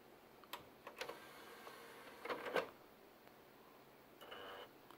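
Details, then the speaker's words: Panasonic DMP-BD80 Blu-ray player not reading all Blu-ray discs: quiet uneven ticks, clicks and short whirs as the laser pickup hesitates and its lens bumps the disc, indicating a bad laser pickup needing replacement. "it makes weird noises i don't know if you can hear it but the laser pickup um it's hesitating and you can even hear um i don't know if you can hear it but uh you can hear the the lens is bumping on the disc so what that usually means when it is doing that uh it's a bad laser pickup"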